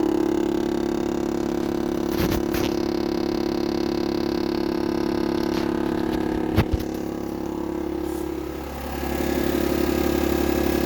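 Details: 2022 GMC Yukon SLT Duramax diesel: steady cabin hum then deep droning buzz, a loud rattling vibration under the center console near the floor, felt through the floor; began last winter, now more frequent; cause unknown.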